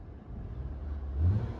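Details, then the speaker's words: 2014 Nissan Sentra SR, 1.8 L four-cylinder with CVT, 109k miles, idling at 713 rpm: throttle blip picks up cleanly and settles without hesitation; lifters quiet, throttle responsive, normal. "Now, if you rev it up, you can see the throttle's nice and responsive."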